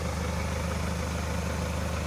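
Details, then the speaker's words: Hyundai Santa Fe diesel brought in for cylinder 3 misfire, smoke and oil leak, after repair: steady, even low idle with no misses or knocks, running smoothly; not revved, turbo still to go to turbo service. "то що нас просили зробити ми зробили працює рівно не буду газувати"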